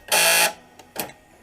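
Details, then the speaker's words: 2005 Dodge Grand Caravan sliding-door power lock actuator, a junkyard replacement tested after bolting in: a half-second harsh, high-pitched grinding buzz as the lock cycles, then quiet clicks; the motor works but is noisy. "motor works but it makes a horrible noise so you see that it works definitely making a noise"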